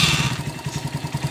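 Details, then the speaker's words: Euro Keeway 152 motorcycle after repair: revs drop to a regular, even idle of about eight pulses a second; earlier rattle near the magneto side is gone, now okay. "Iyon o. Wala na yung kalampag pare. Ayan o. Iyon. Okay na."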